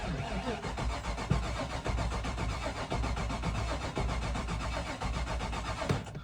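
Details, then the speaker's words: Engine with 254,000 on it, cranked on a charged battery: steady starter churning with a slightly uneven gallop and no firing; no fuel pressure at the Schrader valve, dead fuel pump. "A little bit of a gallop there, but like I said, I will show you that this doesn't move. It might be a dead fuel pump, I don't know."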